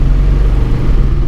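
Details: 2001 Volkswagen Jetta VR6 driven while diagnosing an engine knocking noise: low, lumpy rumble that stumbles and surges unevenly, likened to a helicopter; severe misfire, cause not yet identified.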